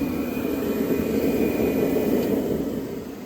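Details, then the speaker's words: Forced-air torpedo heater with homemade back plate lacking relief valve, which previously shut off after 5 minutes: steady unbroken burner roar after about an hour, no sputter, surging or cut-outs; normal burner operation. "So, this thing's been running for about an hour."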